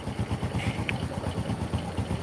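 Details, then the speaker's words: Honda Supra motorcycle lacking power, topping out at 100 km/h; low idle with an uneven, lumpy beat and rough rumble, crankshaft bearing wobbling, attributed to lugging in high gears without downshifting. "ini efek dari itu adalah kayak gini inilah kertasnya tak jamin goyang dan putarannya agak kasar Kalian Dengar suaranya"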